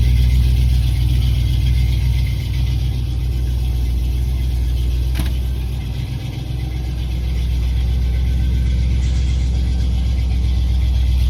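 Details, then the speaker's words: 1987 Chrysler Fifth Avenue, not run for about 6 months, just started cold in January on choke: even, steady low rumble at about four beats a second with no misses, knocks or ticks. Normal cold idle. "so good success so anyway so she runs"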